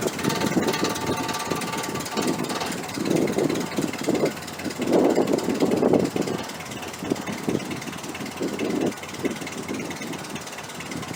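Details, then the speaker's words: 1968 Chrysler 300 with a 440 V8 and a replacement used carburetor, after a disconnected spark plug wire was put back on. It settles into a steady, even idle with a few throttle blips, every cylinder firing. It runs better now on all 8 cylinders: normal idle. "It's definitely running better now that it has all 8 cylinders, all 8 spark plug wires connected. It's a big help."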